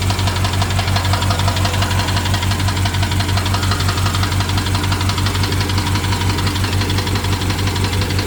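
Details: BMW 750Li N63 V8 at idle after fuel injectors and high-pressure fuel pump were replaced: sharp, regular tick about once a second over steady idle; owner suspects timing chain, unconfirmed.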